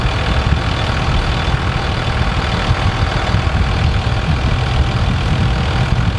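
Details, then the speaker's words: Truck front end after repair, idling: steady low idle with no squeak or creak. The annoying front-end squeak was fixed by drilling through the frame and adding an extra bolt to the track bar bracket. "So as you can see, there's no more annoying squeaking sound coming from the front end. We got that fixed with an extra bolt in the track bar bracket."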